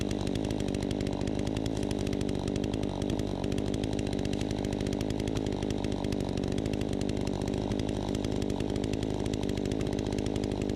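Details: Troy-Bilt 20-inch chainsaw under cutting load after carb adjustment: a crisp, steady high-revving buzz holds speed without bogging or surging. It runs right, better than ever; the owner may tune it further for slightly more RPM.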